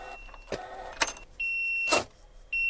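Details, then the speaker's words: H1 Hummer shot with thousands of rounds, including .50 cal incendiary: the right turn signal makes irregular clicks with a high electronic tone cutting in and out while the left signal works, cause not yet found. "dude it really doesn't like the right blinker it makes funny noises everything on this side"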